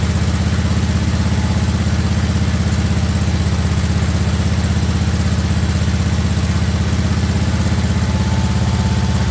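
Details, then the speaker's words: Revived 1958 Wisconsin AENLD street-sweeper engine, choke off, muffler fitted: deep, steady low thump about 160 beats a minute, smooth with no knocks or misses; normal running. "I have to say it sounds freaking amazing that sounds amazing she runs so smooth when she's going got the choke taken off there"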